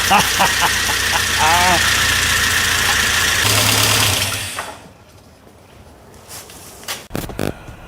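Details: 1992 Saab 900 Turbo started after repairing its stuck ignition key switch: engine catches quickly and runs at an even, steady speed for a few seconds before dying away; healthy start.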